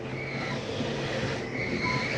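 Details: Flagstaff 832IKSB RV bedroom slide-out retracting: steady mechanical drone with faint whining tone, even and unbroken; normal slide-out motor operation.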